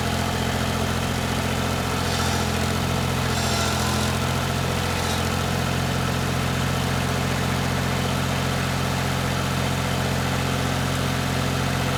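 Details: 1988 Yanmar 336D diesel tractor, unrun for 6 years, after fuel, oil, air filter and coolant checks, throttle at three quarters; steady, even diesel clatter at raised idle with no misses or knocks, running healthy.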